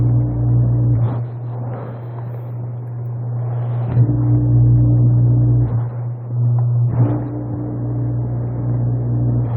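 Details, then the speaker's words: Coast Spa Mirage hot tub with no heat, HH message and no circulation, about 1 °C outside: pump 2 gives a constant low motor drone with steady pitch and water churning; running normally. "Alright, well, our pump's running. Low speed appears to be working."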